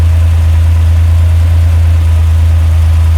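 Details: 1966 Kaiser Jeep CJ5, 225 cu in (3.7 L) Dauntless odd-fire V6, after swapping the Rochester 2GC for a Carter BBD 8308 (idle jets 1.5 turns out, electric pump at low pressure 2.44): deep, steady, even idle with no misses.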